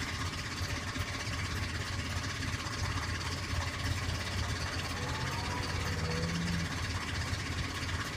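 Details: 1998 Ford Explorer petrol V6 at idle and revving gives a fast, light ticking that continued after an oil change; owner asked timing chain or rockers; the cause proved to be the timing chain tensioner, found broken, and the chain and tensioner were replaced.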